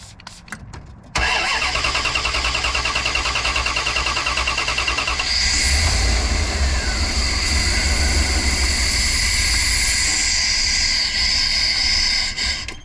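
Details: 1998 Dodge Ram Van B250 with recent plugs, wires, distributor cap and rotor, half tank of gas, drove fine the day before: cranks, fires and roars briefly on gas spray then dies; won't idle, owner suspects a fuel issue.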